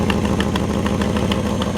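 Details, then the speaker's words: 1955 Ford F-100 with original drivetrain, hood open at idle: steady idle with a sharp, regular ticking puff about five or six times a second from an exhaust leak at one exhaust manifold, possibly a broken bolt; otherwise good running engine. "now one thing this truck does have is a little bit of an exhaust leak out of one of the exhaust manifolds you pop the hood and let you hear the engine"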